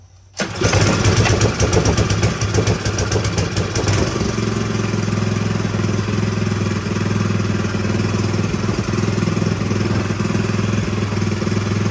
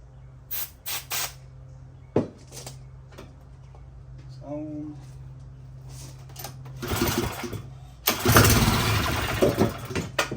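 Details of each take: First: Little-used Power Horse small engine that sat a long time, restarted after fixing a leaking fuel petcock, on choke, air breather off: cranks, catches within a second, sputters briefly, then settles into a steady even idle with no misses or knocks; normal start and idle. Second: Little-used Power Horse small engine that had sat for a while, with fuel leaking at the petcock instead of flowing: scattered clicks, then it catches on sprayed fuel for a few rough seconds and dies. Fuel starvation; carburetor, tank and petcock are to be cleaned.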